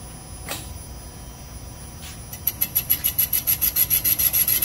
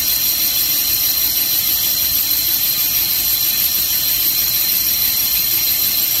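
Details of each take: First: Mopar 360 small-block cylinder bore on a Comec boring machine, finish pass after straight roughing bore true to crank: cutter settles into even rasping rhythm about three strokes a second; clean finish bore. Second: 360 Mopar small-block finish-boring pass, about 10 thou out, 5 per side, after straightening the crooked bore: steady high singing squeal with slight unevenness as the cutter bites heavier on one side near the chamfer, an interrupted cut.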